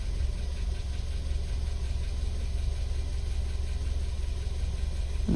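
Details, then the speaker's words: Audi petrol engine, 171,000 km, after revving: low idle that wavers unevenly and shakes slightly; cause unconfirmed, suspected injectors. "а у этого [музыка] фольксвагенам кажется этот турбированный мотор о его колбасит немножко"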